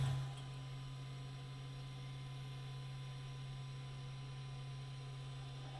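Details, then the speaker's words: Cessna 401, idle over 15 years, auxiliary electric fuel pump switched on after the fuel system was cleaned: steady, even low electric hum with no surging; fuel flows evenly to all injector lines. "And let's turn on the aux pump here. See if we got any fuel. I can hear the pump running."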